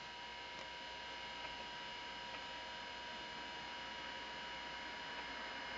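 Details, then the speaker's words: Macintosh 512k with 64k ROMs and 1985 GCC HyperDrive internal 10MB hard disk, at power-on after startup bong: quiet steady high whine with faint light ticks as drive spins up and boots; normal. "you can hear the drive fire up the drive spins up it starts booting"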